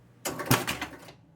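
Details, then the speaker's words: Spirit of 76 electromechanical pinball, fault deliberately introduced: pressing start gives a short burst of clacking and one solid thunk as only the drop targets reset, then silence; machine won't start, score reels don't reset. "That's it. Heard the drop targets reset. That's about it."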